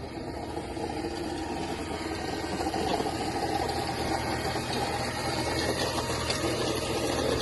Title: Mercedes E 350 unknown engine noise